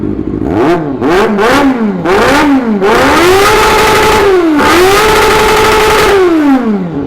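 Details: Honda CB1 NC27 after maintenance and minor engine work: clean rev blips climb and fall smoothly, then a held rev drops back evenly. There is no internal rattle or knock; the engine sounds healthy.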